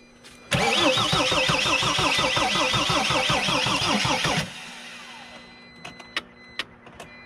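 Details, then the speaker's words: Mercedes Sprinter diesel after a new fuel tank and pump, with the fuel pump wiring reconnected and bubbles seen at an injector. Cranking at about three and a half pulses a second quits without firing as the battery weakens: weak battery, slow crank, no start. "the battery is getting weaker and it's blinking here I'm looking let's just wait a bit a little bit I'm gonna try again blinking seems like the battery is kind of it's kind of weak right now"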